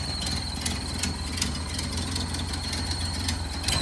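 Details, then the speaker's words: 1929 Ford Model A at a slow lumpy idle with a thin steady high whistle; the carburetor gasket is leaking and drawing in air, a vacuum leak. ">> That whistling sound is the carburetor gasket leaking. So, it's taking in air as well."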